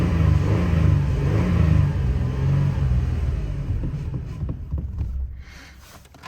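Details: 2008 Toyota Tacoma 4.0L that died on highway, restarting with MAF unplugged: revs and holds briefly, then fades and dies within seconds; MAF not at fault.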